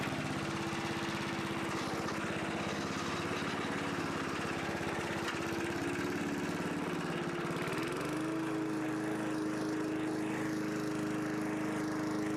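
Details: 1982 John Deere 21 SP self-propelled mower, single-cylinder engine after refurbishment with new old stock points and condenser gapped to .020: runs evenly, shifts speed once near the end, settles smoothly with no misses; healthy.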